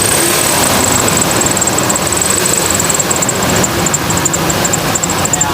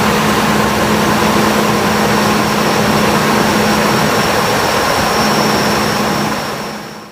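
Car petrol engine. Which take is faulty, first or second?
first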